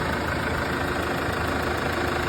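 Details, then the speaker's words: Case 115A tractor running steadily after a no-start, possibly from brush hogging with a flail chopper; a makeshift battery connection was cobbled together, part still to order, even engine rumble, no knocks, misses or surging; normal running. "Kind of fixed it. But it runs."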